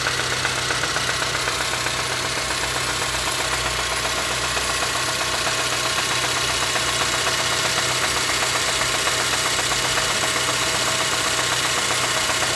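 Steady idle with a sharp, even knock about four times a second riding over the engine; a knock whose source still needs tracking down.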